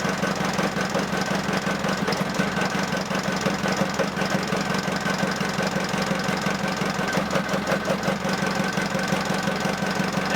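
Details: Ford Transit 2.5DI after inlet manifold carbon cleaning, EGR blanked, catch can fitted, high-pressure lines primed, first start: catches and settles into steady idle with usual light injection clatter; normal diesel idle.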